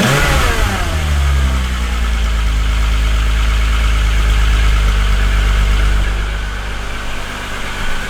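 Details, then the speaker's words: VW Golf Mk3 VR6 Syncro after its fuel injectors were cleaned on a homemade test bench (cylinder 4 injector suspected stuck before): settles from a brief rev into a smooth, even idle with a steady low hum, maybe slightly high; running healthy. "Nyt nuo suuttimet olisi kunnostettu ja kuten huomasitte, niin, tai en tiedä kuulitteko te, mutta käynti muuttui ainakin huomattavasti siitä, mitä se oli ja miten se sinne videon päähän välittyy."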